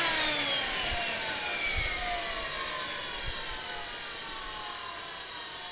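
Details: JetCat RC jet turbine idling after repair of starter clutch, bearings and deformed NGV that caused blade rub: steady high whine over even hiss, no surging or rattles; idle combustion temperature under 500 °C.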